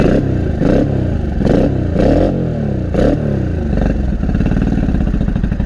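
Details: Honda Shadow 500 V-twin, first start after 3–4 years in pieces, with fuel leaking: a lumpy, uneven exhaust beat through throttle blips, missing every other pulse. Only the front cylinder is firing; running on one cylinder.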